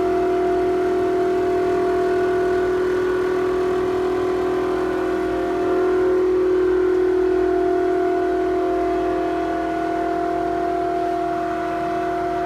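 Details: Toshiba restroom ventilation fan in a restaurant: loud, steady whistling drone at constant pitch, swelling slightly midway and audible down the corridor; abnormal fan noise, cause unclear.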